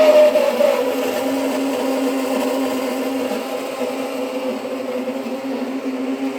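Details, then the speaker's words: Tesla after a coolant leak, parked and switched off: steady mid-pitched whir like a pump or fan, fading slightly; continues despite shutting car off, was fine previous night. Loud whirring noise, cause unknown. "And it was fine last night. And now today it's making this horrible sound. Sounds like it's coming from in here."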